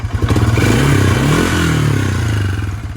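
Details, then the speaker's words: Honda Fourtrax 300 single-cylinder ATV idling after new exhaust install: steady light knock over exhaust beat, three to four per second, not real bad; owner suspects cam chain or tensioner, not sure. "with that knocking sound. Sounds like the cam chain or the cam chain tensioner. I'm not really sure right now."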